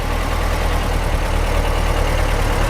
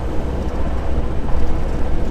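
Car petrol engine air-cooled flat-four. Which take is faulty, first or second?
second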